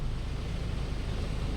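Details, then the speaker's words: Mitsubishi e car cabin blower motor after replacement, on the lowest fan speed: a smooth, even low hum with no chirping or scraping, unlike the old motor whose brushes and armature were worn and squealed, so the blower is quiet and normal. "มาดูหลังจากที่เปลี่ยนเสร็จแล้วนะครับเงียบนะครับไม่มีเสียงสีดังชิๆๆๆๆๆๆๆปิดเงียบกิ๊บ"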